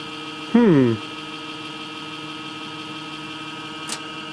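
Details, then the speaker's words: Home server powered up after a power outage: loud rattling whir sweeping down in pitch for half a second, then cutting out over steady hum; failing cheap 80 mm case fan bearing. "that sounds really bad let me uh check the back and see what the heck is going on here sounds like a bad fan"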